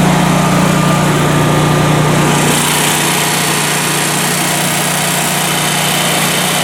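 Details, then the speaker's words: Generac home standby generator running with no load, described as not very loud from inside the house: steady, even engine drone with a constant low hum, no knocks or surging; running healthy. "You can kind of hear it running right now, but really it's not too bad. From inside the house, it isn't all that loud actually at all, so we do have good insulation for the house."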